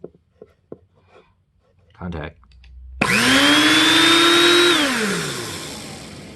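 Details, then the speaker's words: TriStar Turbo Brush power nozzle motor, test run after rebuild replacing gritty, dried-out bearings: spins up to a clean, steady whine, even pitch with no grit or rattle, coasts down smoothly; sounds like a motor should. "nice ah sounds like a motor should sound"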